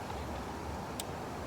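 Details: 2000 Dodge Caravan (Town & Country/Grand Voyager) after working through squeal, knock and grinding noises, timing chain ruled out: steady, even engine hum with no chirp, squeal or rattle from the belt side; tensioner and pump sound quiet and healthy.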